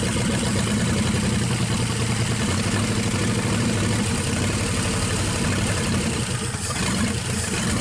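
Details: 1963 Pontiac 389 V8 at first start, running on 2-cycle gas, powered via jump box: deep, steady V8 rumble holding an even lope with no knocks or misfires; normal idle.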